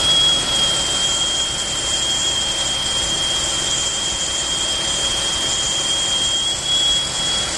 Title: Hissing sound